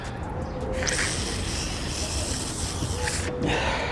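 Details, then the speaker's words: Air test on the old thermostat removed from a 2016 Chevy Silverado with code P0128, fan staying on and not reaching operating temp: a steady rush of air hisses through. It is likely not fully closing, so it was replaced with a new one. "you can hear that it's coming out from somewhere i'm not quite sure where but i think that's going gonna be our issue that it's not fully closing"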